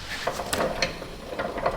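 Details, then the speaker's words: Duramax truck, front wheel turned by hand: a few light, irregular clicks and clunks with play felt as it rotates, though the wheel bearings are thought fine and the slip yoke checks out; clunk when wheel is rotated, looseness in the front driveline suspected. "Okay, that's weird. I'm hearing a little clunky. What is that?"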